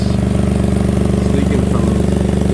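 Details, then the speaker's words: 2003 Toyota Highlander 3.0L at idle: even low puffing pulse on every firing stroke, exhaust escaping ahead of muffler; catalytic converter rusted through, also leaking further back, exhaust leak. "so the converter must be rusted through it's also leaking back here too"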